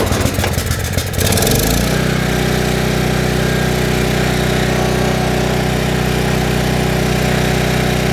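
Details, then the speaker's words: Trash-picked 2005 Craftsman 5600 W generator (580.325601), 10 HP Briggs & Stratton (204412-0147-E1), test fire after carburetor work, air box off, choke on: brief cranking, then it catches and settles into a steady, even single-cylinder run; it starts successfully. "I'd call that a success. I don't know about you guys."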